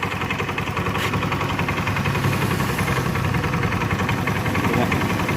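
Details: Automatic scooter: rough metallic rattle that grows as the throttle opens; suspected dirty or worn CVT parts rather than a worn connecting rod, CVT opened for inspection.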